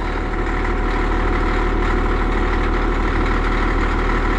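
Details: Cat D6D dozer, late 70s/early 80s, diesel warming up at idle: steady deep chug, even beat, no knocks or misses, started well; a leaking hydraulic hose is suspected and all three cylinders need repacking. Normal idle.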